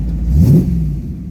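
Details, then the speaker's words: Modena Classic Design 2004 replica of a Ferrari 250 GT California Spyder on the road: deep engine note swells quickly under throttle, eases off smoothly with no knocks or rattles; downshifts clean, no synchro issues on the manual transmission. "We'll go through the acceleration. The downshifting is great. There's no uh synchro issues on this transmission."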